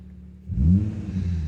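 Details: 2004 Infiniti G35x warming up (coolant 152°F and rising), naturally very low idle, owner chasing rough running with no codes: quiet low idle jumps into a quick smooth rev that rises and dies back down; normal free rev.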